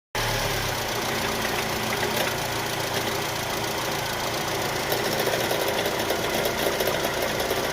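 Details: Chevrolet Cruze/Sonic engine at idle: a steady idle with a fast, light metallic clatter riding over the engine note; abnormal engine noise, cause not confirmed.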